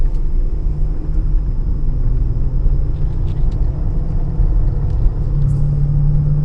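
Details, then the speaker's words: 2015 Honda Pilot with 64,000 miles on a test drive at 25-40 mph; deep droning, airplane-like whining growl that gets louder when steering left and quieter steering right, pointing to a worn driver's side wheel bearing rather than the VTM transfer case. "So 25, 30, 40, you can hear the whining sound like airplane. If I pull to the left, a little bit more noise than the right side."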